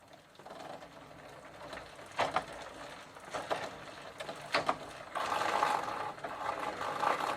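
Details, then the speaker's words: Gazelle bicycle with a Sturmey Archer 3-speed hub, after WD-40 with the shift cable detached, shifter in first, while pedalling: light uneven clicking and rattling with a few louder snaps; a loose, worn chain is suspected, and the drivetrain needs replacing. "Sounds like the chain is a bit loose. But it really needs a new drive train."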